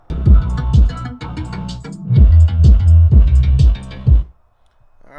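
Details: 2014 Mazda 6 Grand Touring driver's-side front door Bose speaker playing bass-heavy music buzzes and rattles on each low beat, blown from cone separation; to be repaired with CA glue and super glue gel.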